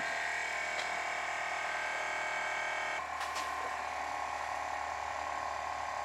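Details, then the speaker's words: Abandoned Audi Q7 with suspected air suspension fault, ignition on: steady high electric buzz over an even drone, no rattle or labouring; air suspension compressor pumping normally, car rising. "oh i heard a noise there we go it's doing something you're working well the pump's definitely working can hear it"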